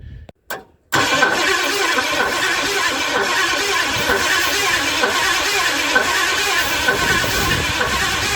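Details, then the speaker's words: 1958 Edsel, points ignition, carburetor off, starting fluid in intake, power at coil: cranks steadily for seconds with no firing, crank-no-start from lost spark (Duraspark conversion planned). "okay i lost my spark somehow"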